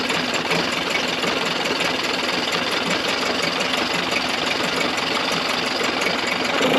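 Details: Early-90s 8 hp Mercury two-stroke outboard, first run in a test tank after general maintenance: rattly, uneven idle that never settles into a clean beat; runs rough with fuel leaking under the carburetor, owner doubts the yellow fuel line is the cause.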